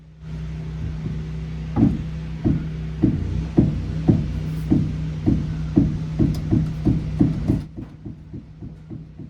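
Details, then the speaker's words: Jeep Grand Cherokee front suspension check: sharp regular clicks about twice a second as the front wheel is rocked, from a worn lower ball joint. The struts look okay, and a broken idler pulley was also found. "this is your lower ball joint it holds the suspension on and if you listen you can hear the clicking"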